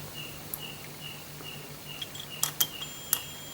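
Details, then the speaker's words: On a Polytron U-Slim CRT TV that won't start and blinks its LED, a multimeter gives short high beeps whenever the probes touch the horizontal output transistor's base and collector. Normally it should stay silent, so the transistor is shorted. "Ini jika normal harusnya tidak berbunyi ya, namun ini berbunyi ya. Ini berarti saya pastikan transistor horizontal mengalami short y"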